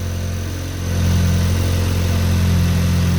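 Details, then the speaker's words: 2023 VW DLB engine rebuilt at 23k km, cold start after top mount cleaning: steady smooth low hum at idle, load rising slightly as air conditioning kicks in, no knocks or misses; normal idle with AC on. "air condition's on turn it off turn off the air"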